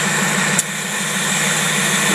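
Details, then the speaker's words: Carburetor tested on a running engine idling at about 500 RPM: slow steady idle with a constant airy hiss of air being sucked in, a vacuum leak at the heat choke fitting, possibly leaking at the other end of whatever is hooked to it. "that's the air that you here sucking I don't know how you can hear it when you're inside a car but anyway that's that's the problem of the heat choke if you're you're hooking something to that it could be leaking on the other end"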